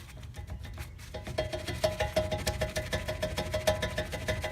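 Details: 2011 Infiniti G37x AWD front brake caliper rocked by hand before new pads, hardware and pin kits: light metallic clacks about three a second from play in the caliper mounting; rattles over small bumps, owner suspects slide bolts.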